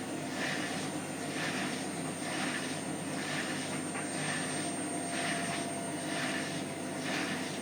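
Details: Hotpoint washing machine on spin on the 30 setting: a rhythmic swishing scrape about once a second over the spin whir, with a faint squeak each turn; a rub, cause unknown.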